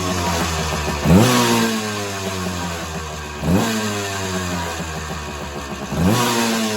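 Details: Suzuki PE175 two-stroke with stock silencer, before FMF silencer install: crackly idle with three sharp throttle blips rising and falling cleanly, no misfire or hesitation; normal running.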